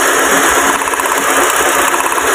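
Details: Car engine losing power, jerking and running on 3 cylinders: rough, lumpy idle with plug leads pulled one by one, shaking heavier as another cylinder drops out. Misfire.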